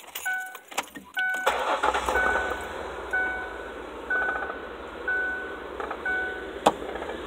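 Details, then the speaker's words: 2004 Ford Freestar after fixing misfire (linkage reconnected; previously shook, popped, backfired): short crank, then quiet even idle, no stumble or shake. Normal start and idle. "I wish I could show you what it was like missing. That motor was shaking all over the place. It's steady now."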